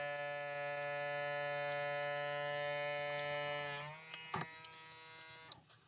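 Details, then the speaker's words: USB vacuum pump on a power bank evacuating a filament storage bag as it shrinks, with plenty of suction; a steady, even buzzing hum at constant pitch, then cuts off and winds down, which is normal running. "You can hear and watch it, how it shrinks. This is more than enough suction."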